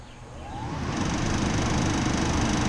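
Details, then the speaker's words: RV rooftop air conditioner just after motor replacement, first test run: steady low rumble builds over the first second and settles into an even, constant whir with no rattle or squeal; runs normally. "we go a running AC unit so it's really kind of easy to change out the motor"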